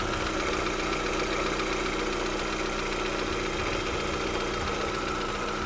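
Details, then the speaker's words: Lada Vesta at warm idle: light uneven tapping, two or three knocks per second; owner suspects pistons; unconfirmed. "И когда, видимо, прокачался, машина прогрелась, а он пропал и остался просто постоянный стук небольшой. Вот это, видимо, и есть эти поршня."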